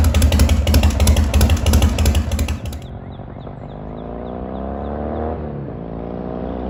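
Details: 1985 Harley-Davidson FXRS with Evo V-twin, sat five years, on fresh regular fuel: music fades into a clean idle and blips, pitch rising and falling smoothly with throttle; runs fine.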